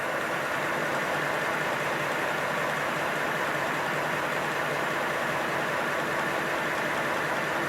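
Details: Simplex live-steam locomotive in its first bench steam test, gas-fired by a picnic-stove burner under the firebox, cylinders warmed and drain cocks closed. Steady, even rush of steam with no knocks or irregular bursts; engine runs smoothly. Normal running.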